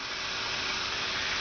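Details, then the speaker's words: Edelbrock Universal EFI Fuel Sump #36032 returnless high-pressure pump on a 1970 Opel GT converted to Bosch Motronic fuel injection, pumps on, engine off: smooth steady buzz like a quiet electric shaver, no surging; normal fuel pump operation. "Back up on the ladder, and that's the sound of the Edelbrock fuel sump system. Basically sounds like a quiet electric shaver,"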